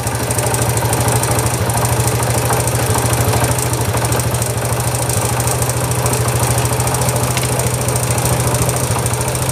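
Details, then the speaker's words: Honda Wave 100 idling in neutral so the wheel doesn't spin: quick, light ticking over the beat from loose starter clutch bolts on the magneto side. "Rồi đây, anh em nghe tiếng kêu đây. Tiếng kêu tích tách nha."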